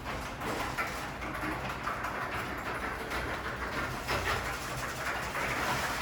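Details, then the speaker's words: Garage door opener: loud rough rumbling with a harsh scraping screech throughout the run, happening every run or every other even after lubrication; source unknown, owner wants new rollers. "oh jesus christ yeah it sounds horrible"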